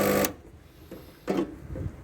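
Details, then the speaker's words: Rancilio Silvia espresso machine being repaired for not heating, element disconnected; vibratory pump in short buzzing bursts with gaps as it starts and stops, priming and sucking water normally. "is that suck in water yeah that is sucking water sometimes starting and stopping is a good way of priming the pump"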